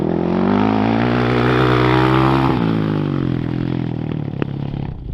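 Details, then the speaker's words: 2007 Yamaha YFZ450 quad after new Jet Lab carburetor install to cure popping: engine pulls up smoothly, holds, winds down cleanly with no popping or backfire on decel; properly fuelled and healthy, popping fixed. "She sure sounds like she's running a whole lot better today. No more popping and busting out."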